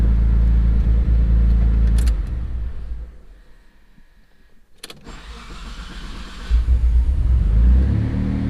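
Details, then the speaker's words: Twin-turbo Mitsubishi 3000GT VR4 (6G72, forged internals, stage 2 cams) on AEM Series 2 after warm-start map retuning: brief cranking then prompt catch to even steady run; clean warm start. "Warm start. Pretty much dialed in as much as I'm gonna be able to do it."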